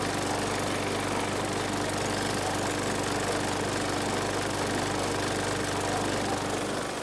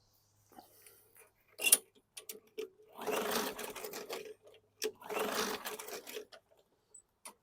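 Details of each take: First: 2019 Murray push mower, 4.5 hp Briggs & Stratton 450E engine, after freeing the sticking linkage; steady, even buzz at constant speed, no stumbling or misfires; normal running. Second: 2019 Murray push mower, 4.5 hp Briggs & Stratton 450E engine; two recoil pulls whir and fade with no firing; no-start because the sticking safety brake cable linkage keeps the ignition grounded on its ground tab.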